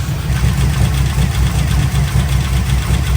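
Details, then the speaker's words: Pontiac Trans Am WS6 heads/cam LS V8 at first startup after installing CHE trunnions, billet rocker pedestals and new pushrods of changed length: quick light ticking over a loping idle on both banks, suspected valvetrain noise; valve covers to be pulled. "Definitely sounds noisy. I'm gonna shut her down. Well, guys, I really don't like that sound. I started it back up and it's still there. To me, it sounds like valve train noise, and it is on both sides."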